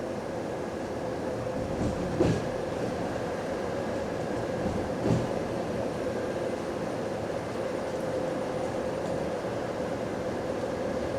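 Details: Recorded on a GAL EBD67 bus on route SL4 after the creaking suspension was fixed: a steady road and running rumble with a couple of brief thumps and no suspension creak. The ride is normal.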